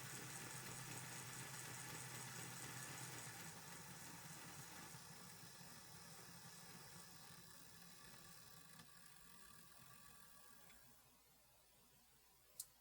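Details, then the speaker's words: Golden Valley Hobbies Janus 0-6-0DE model shunter after a couple of hours' running in: faint high motor whine with a regular thud about three times a second, loco still rocking slightly side to side; runs unevenly, doesn't sound healthy. "but you can hear that it doesn't really sound too healthy either doesn't really sound right is it"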